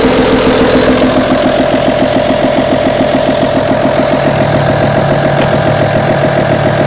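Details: Audi A6 2.5 TDI diesel at idle: steady idle with a quick, even rattle of about three to four taps a second; camshaft, hydraulic lifters or rocker arms suspected, source unconfirmed.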